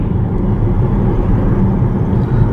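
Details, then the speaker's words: 2011 Nissan Rogue SL AWD 2.5 four-cylinder, 167,000 miles, driving at 40 mph after replacing staked driveshaft U-joints: steady low road rumble with no rhythmic drone; former driveline noise gone, smooth and quiet. "And now we're up to 40 and that noise is gone. What a difference. Can you hear how quiet it is in here"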